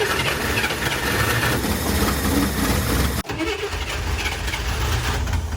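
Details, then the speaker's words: 1964 Chevrolet Corvair barn find, long stored, first start on a fuel drip tank feeding the fuel pump to both carburetors: engine catches, stumbles briefly, then idles steadily on its own; ignition light off, generator appears to charge; normal idle. "The car is running on its own. The ignition light went off, so the generator might be working."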